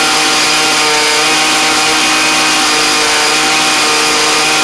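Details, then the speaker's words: Craftsman weed eater (two-stroke trimmer), carb already tuned well, running after a cold start: high, steady buzzing wail holding even revs with no surging or bogging; normal running before adjusting with a Pac-Man style carb tool. "So this one's actually tuned pretty good. I am just going to show y'all that everything works like it should on it."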